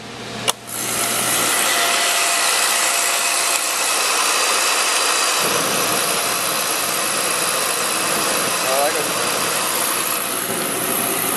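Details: Beckett oil burner set up as a one-pipe system with manifold gauges on pump pressure and vacuum, running about 140 psi. After the ignition snap it settles into a steady, even hissing roar with no pulsing or rumble. Normal firing before any restriction.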